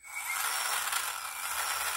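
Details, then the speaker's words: Replacement motor newly mounted to its gearbox, before the fan and coupling are fitted. A high, even whir of motor and gears winding down gradually without catching or stopping short; it spins freely and is not binding on the shaft. "you can see the motor runs down doesn't suddenly stop it's not being it's you know it's not freezing on the shaft or being held by the shaft"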